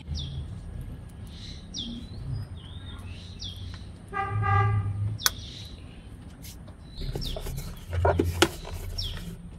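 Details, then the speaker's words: Engine starts and runs with an even, squeal-free hum after tightening the power steering pump belt; earlier belt noise gone after a one-day test drive, quiet belt drive. "Well, after a one-day test drive, the noise from the belt has disappeared."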